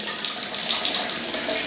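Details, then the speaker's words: Urinal cistern with torpedo siphon after refit: steady hiss and gush as the full cistern dumps into the urinal, no gurgle or trickle; normal flush before shutting off. "So what it's doing now is just dropping all the water inside that cistern, and once that's run through, it'll just shut off again, and then"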